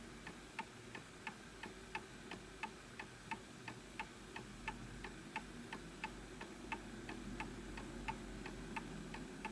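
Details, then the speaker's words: Antique Enfield Westminster chime mantle clock during beat adjustment: quiet ticking at about 88 per minute with lopsided tick-tock spacing. It is out of beat and will stop, and probably needs a small nudge to the right. "So this will stop because you can hear that it's off."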